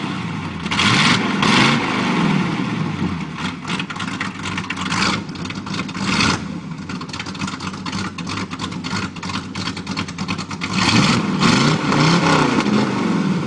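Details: 1987 Chevy 350 V8 with cam and flat-top pistons, just bought, first start, needs a tune-up: lumpy, choppy idle breaking into several throttle blips, loping unevenly; rough-running cammed V8.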